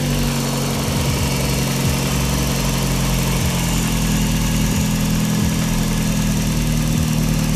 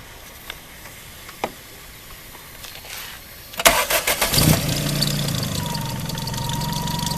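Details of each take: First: Daihatsu after alternator bearing replaced and bent pulley swapped: steady, even idle with low hum, no whine or chirp; alternator charging properly; normal idle. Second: Tuned Daihatsu, before repair: starter cranks, engine catches, then a steady high whine rides over the idle; worn alternator bearing noise, confirmed by later bearing replacement.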